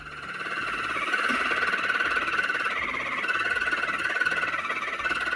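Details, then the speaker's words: Power steering squeal on a car brought in by a customer: thin, wavering high-pitched squeal held for several seconds with no low engine rumble, likened to a dolphin. "And this steering wheel kind of sounds like a dolphin."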